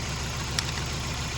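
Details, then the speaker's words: Scion xB with a used junkyard engine and a changed spark plug, running rough: lumpy, uneven, stumbling idle, and unplugging this ignition coil makes no difference, so one cylinder is dead from a bad ignition coil. "No difference. That's a bad one. Let me turn it off. Okay. You saw where it made no difference."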